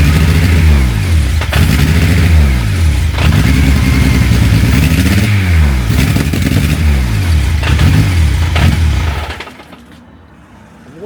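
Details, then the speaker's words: Honda K24 engine with reworked custom exhaust and flexi section, first start, no coolant in it yet; catches, revs swell up and down raggedly then dies: rough running after first start. "Well, that's it started. We can't call it running by any means yet, but I don't have any water in it"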